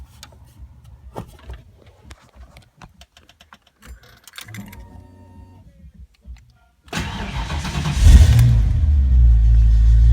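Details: Ford Mustang Foxbody V8 with rebuilt, tested A9L mass air ECU: cranks and catches, settles to closed-loop idle around 800-900 rpm, revs cleanly and holds without misfire or breakup; normal start, idle and revs.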